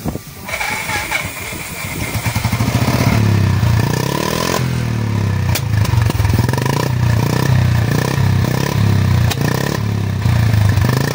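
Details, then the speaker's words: Royal Enfield Bullet 350 started on electric self-start at idle: steady, even exhaust thump with no mechanical clatter, sound coming only from the silencer; normal healthy idle. "बिल्कुल भी sound नहीं है, सिर्फ silencer से आवाज आ रही है।"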